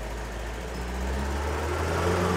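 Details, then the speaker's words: Mitsubishi L300 diesel after engine rebuild: low, even idle hum with no knocks or misses; smoother sound and less vibration than before, normal idle. "lebih kita ke suaranya lebih halus getarannya lebih halus"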